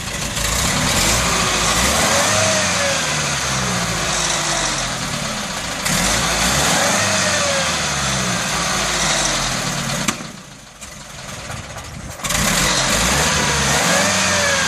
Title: Fehlzündungen LO Robur Pritsche Misfiring Old Engine Exhaust Flames Military Truck IFA DDR